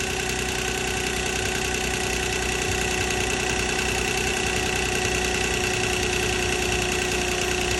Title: 2006 Nissan Maxima Timing Chain Rattle